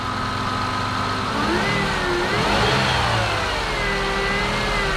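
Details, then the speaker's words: 2003 Toyota Highlander 3.0 L automatic; a thin whine from the engine compartment, apparently from the alternator, climbs and falls with revs. A battery tester showing no voltage confirmed the alternator needed replacing. "the problem is there's a winding sound that's coming from the engine compartment and the sound sounds like it's coming from the alternator"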